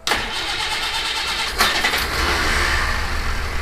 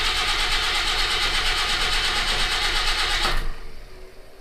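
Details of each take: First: Citroen HY van, after fixing a no-start and refilling fuel, in neutral: engine fires straight away and settles into a steady, even run with no misfire or stumble; a healthy start, some blow-by visible. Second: Citroen HY van with new battery and cables, fuel pump running, cranked in neutral without choke; starter churns about three turns a second with no firing; crank no start, no fuel suspected.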